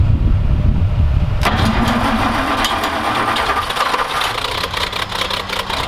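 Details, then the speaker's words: Roller packer engine: loud rough cranking, then an uneven, lumpy run that struggles to hold. Hard starting; the choke appears not to work, and the carb may have been flooded during starting attempts. "the problem we're having is that pulling on the choke up here actually it doesn't do anything by the looks of it i moved a little bit but we may have flooded the carb in our uh attempt to get this thing running"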